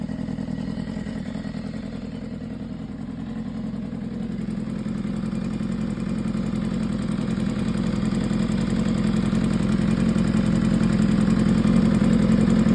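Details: 2015 BMW S1000RR at 7.8K miles idling and revving slightly, with a fast light tick over the engine hum; top-end ticking, source not pinned down.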